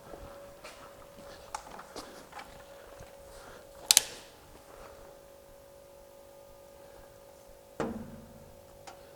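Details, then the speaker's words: 1967 VW Bug with an electric fuel pump, key on and engine off, checking for fuel leaks after replacing a fuel hose: light ticking over a faint steady hum as the pump reaches max pressure; normal fuel pump ticking. "well I can hear the pump has reached MAX Pressure"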